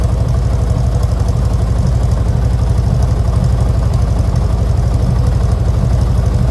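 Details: 1970 VW Westfalia air-cooled engine, first start after engine-compartment upgrades including new Webers, air filters not yet fitted: steady low thrumming idle, about four even pulses a second, no misses or knocks. Healthy idle.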